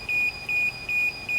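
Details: DJI Phantom 4 drone remote controller, powered on indoors during DJI GO app setup, emits a shrill steady beep repeating about every 0.4 seconds; the alarm sounds because the controller sticks have not yet been calibrated.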